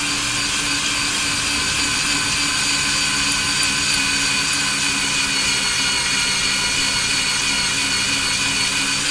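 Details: Drilling steel on a 2019 Ford F250 Super Duty for a Torklift StableLoad install: steady high-pitched whine, bit cutting cleanly in curling shavings; earlier chirping went away after motor oil was applied to the bit.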